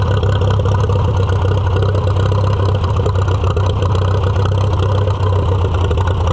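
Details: Farmall F-12 tractor on steel, auction find being revived: steady deep even thrum at low idle, no clear knock or miss; engine dislikes air cleaner piece fitted, air cleaner restriction suspected, carburetor likely needs rebuild.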